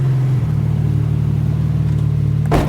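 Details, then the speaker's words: Honda CRX idling after Radium fuel cell and surge tank install: even low idle rumble, soft hum from the enclosed fuel pumps, a brief thump near the end; fuel pressure 40 psi; idle healthy. "Just a mild hum because it's all enclosed."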